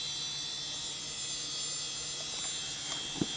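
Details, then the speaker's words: Dell Precision 340, Pentium 4 2 GHz, at boot: faint constant high-pitched whine over a quiet room; worn ball-bearing hard drive spindle. "there's the hard drive that's just shrilling away over there that's the thing I don't miss about old hard drives with ball bearings God that noise drives me nuts"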